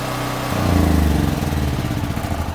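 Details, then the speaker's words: DuroMax portable house generator on propane, after clearing a propane blockage suspected to be a bug or spider: it picks up quickly and runs with a steady thrum, slightly lumpy while it warms up. Normal running. "the idle controller on voila gotta warm up but she's running so at least we know it's the propane"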